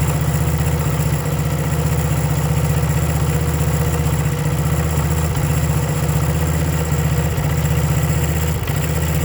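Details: 1975 Honda CB125 single-cylinder at idle: uneven beat with periodic stumbles every second or two; misfire blamed on ignition points, new points ordered, not yet confirmed.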